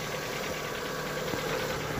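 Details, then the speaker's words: Lada Vesta, cold start, about 9,000 km on current oil: light tapping over a steady idle; hydraulic lifter noise that quickly stops, then what the owner suspects is piston noise, which also faded as it warmed. "так но это компенсаторы шумят сейчас ну вот они перестали шуметь а вот это я так понимаю поршня"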